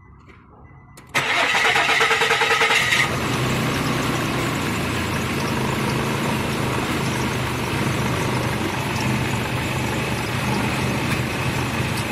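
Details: 2006 Nissan that would not start, after repairing the camshaft sensor connector and wiring; about a second of cranking, then catches and settles into a steady, even idle with no misses; normal start and idle.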